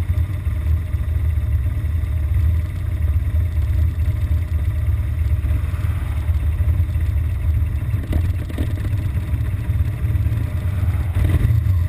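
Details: BMW R1200GS Adventure with an intermittent fault, usually after a 20-mile A-road run into traffic: boxer twin idling unevenly with a loose, lumpy beat and some clatter, idle sagging as if about to stall. Rough idle.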